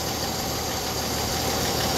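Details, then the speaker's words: 1964 Chevrolet Impala inline six, after sitting since 1995, warming up before oil change: steady, even idle with a fine regular tick, no stumble or sticking valves; carb rebuild probably needed; normal idle. "probably will need a carb rebuild anyway pretty damn good sounds really good actually"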